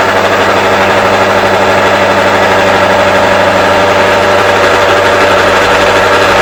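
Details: Motor driving the cutter on a ring roller job, cutting steel at slow speed: heavy, rough churning with the motor sounding strained and bogging down until the speed is raised.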